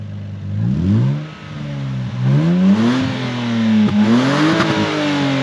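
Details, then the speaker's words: Lexus IS200 straight six (about 2 litre) after DIY near-straight-pipe, decat exhaust, recorded behind the car: loud open-exhaust revs rising and falling smoothly with throttle, no rattles or misfires; healthy, no exhaust leaks. "why'd you power dude it sounds like a E30 like a stock E30 almost listen to that thing it's on so good so [ __ ] good man cheers man oh yeah that's got a good idle dude"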